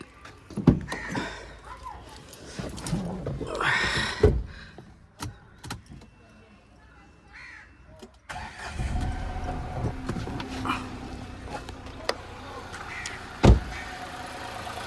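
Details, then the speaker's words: Nissan Magnite 1000 cc petrol engine, 9,000 km: after handling noise, a brief crank, clean catch, then a quiet steady idle. Healthy start. "ইঞ্জিনৰ sound শুনক 1000 cc হয় আৰু petrol engine হয়"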